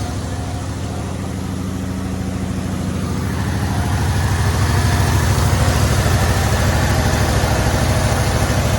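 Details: Chevy C10 six-cylinder, after acorns were cleared from the pipe and the fuel hose fixed: an even, steady low idle rumble with regular firing pulses as the carburetor idle is turned down. It runs a lot better, with no blow-by from the vent tube.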